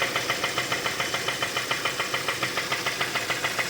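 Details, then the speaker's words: 2015 Kia Optima 2.4, code P1326, flashing check engine light, lacking power: hard metallic knock about three and a half times a second at idle, growing louder, oil leaking; bottom-end knock. "lo aprecien se escucha cada vez más fuerte y se fijan les estaba tirando aceite"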